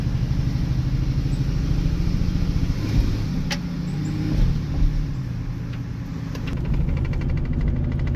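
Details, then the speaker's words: 2008 Chevy Silverado 1500 V8 intermittently running extremely rough, misfiring and occasionally going into limp mode, before a throttle body replacement: deep rumble with a lumpy, uneven pulse that wavers instead of holding steady. "So, what this thing has been doing is running extremely rough. It'll run perfectly fine, but every once in a while it'll start running really rough."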